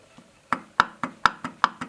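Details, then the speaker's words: Jeep Scrambler power steering pump just installed on original brackets, engine off, pulley rocked by hand: light sharp clicks three to four per second as shaft moves in and out; normal shaft play, every pump does this. "okay see that going in and out don't think anything's wrong that's how every single pump is so don't think you messed anything up it's going to do that"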